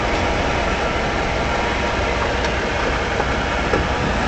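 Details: 2013 Ford F-150 4x4 Lariat, front left drive axle: steady coarse grinding rush, goes away after a short while; owner suspected IWE, passenger-side IWE later repaired.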